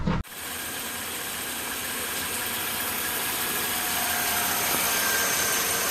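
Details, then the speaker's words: 13-year-old Mercedes-Benz S-Class W221 engine running after accessory pulley repair; even, steady whir with no squeal, chirp or rumble from the belt side; pulleys spinning quietly, normal. "gak ada lagi suara aneh, semuanya terdengar mulus saat berputar bagian perbaikan puli-puli mesin sudah selesai"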